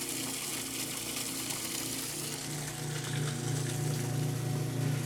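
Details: Kenmore washer that stopped halfway through the wash cycle after sitting about 6 months, tested with the broken lid switch bypassed: water rushing out over a low pump hum that firms up partway; draining normally.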